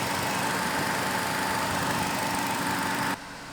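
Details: Mercedes C180 Kompressor electric radiator fan: a constant whirring hum with a thin whine that stops when the fan cuts out. The fan bearing probably has play.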